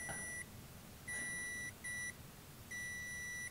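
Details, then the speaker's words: PowerProbe ECT3000 wire tracer following a wiring loom: clean high-pitched beeps near 2 kHz in uneven bursts as it picks up the injected signal, even at a soldered joint along the wire. "we can see that it's picked it up there. It actually picked it up just before, around here, look."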